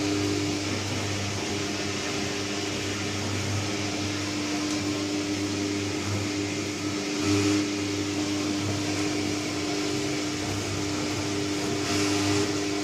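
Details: New Candy Trio 9501/1X: steady loud hum with a fixed tone and droning resonance throughout the run; loud operation, humming and resonance, cause not identified.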